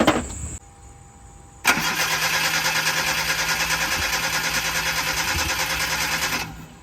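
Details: Mazda NA Miata MX-5 under restoration with new camshafts fitted and the cam angle sensor being set up, grounds just re-drilled: the starter turns about three revolutions a second for several seconds, but the engine never catches. Suspected spark or grounding fault, not confirmed.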